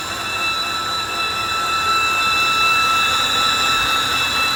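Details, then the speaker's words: 2013 BMW 328i E93 N52 at idle, low, rough, fluctuating idle, no warning lights: steady piercing belt-like screech, possibly from rear of engine; torn CCV diaphragm in valve cover, fixed by replacing valve cover. "sitting at at idle, it's got this really weird loud like belt screeching noise."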